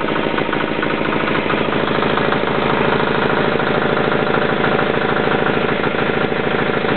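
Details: Yanclone Suntom 186CF 406cc single-cylinder diesel in a Royal Enfield motorbike, second test run after rebuild (injector, fuel line, head gasket replaced, valves decoked): steady clatter about 200 beats a minute, even, no misses; healthy idle.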